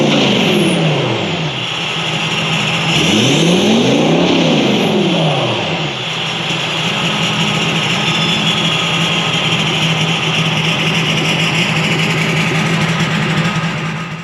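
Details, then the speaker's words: VW Touareg V10 TDI twin-turbo diesel after engine reinstall, tuned ECUs, deleted, full straight-pipe exhaust with custom downpipes: deep loud exhaust drone rising and falling with quick blips, then steady high-rev note; clean, healthy exhaust note when revving. "But with that being said, appreciate you guys watching, and we will leave you with a little exhaust note."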